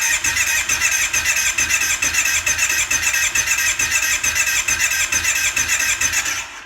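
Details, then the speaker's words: Kawasaki KFV 750 (Brute Force) ATV, front cylinder, no compression, oil added to cylinder: starter cranks with light even pulses about two per second, no firing; compression rose only slightly. "Ну на жаль сильно наша картина не помінялася піднялося хіба на половинку так що в нас або проблеми з клапанами або все ж таки із-за того що там у нас немає хону може кольца може клапана"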